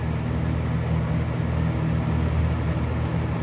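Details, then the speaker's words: Galaxy 6708 fan whose shaft shows end play needing thrust washers, first test run: low, smooth, steady hum with no scraping, knocking or wobble; motor running quietly, bearing problem seemingly solved itself. "that's quiet dude that thing shut right up let's make a noise it's like it's doing the fan thing"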